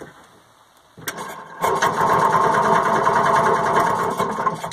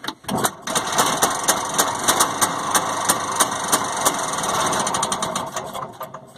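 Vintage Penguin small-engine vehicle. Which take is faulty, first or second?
first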